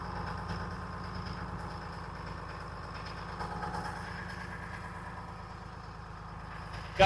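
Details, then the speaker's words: Detroit Diesel 6V53 two-stroke in an American LaFrance 700 Series fire engine, after tuning, servicing and new fuel lines, just started with the start button: steady, even low idle with a fast regular beat and a slight mid rise; healthy. "Let's fire up this Detroit. You just touch the button. This thing runs great."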